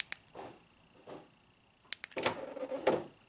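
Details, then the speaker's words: 2012 Honda Accord 2.4L: faint clicks then a short rough buzzing groan on unlocking, a failing door lock actuator whose worn plastic gear teeth grind and spin. "hopefully the camera picked that up but you can just hear it sounds like like a groin groaning or buzzing sound and that's the plastic gears in there that are they're supposed to mesh together"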